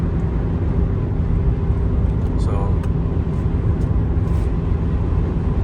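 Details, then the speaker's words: Honda CR-V after catalytic converter replacement (code P0420 cleared), driving on highway: even cruising drone under road and wind noise, no ticking, rattle or exhaust leak; normal running after repair. "Sounds good, guys. I'm on the highway, guys, and she's doing pretty good now. I'm back to normal."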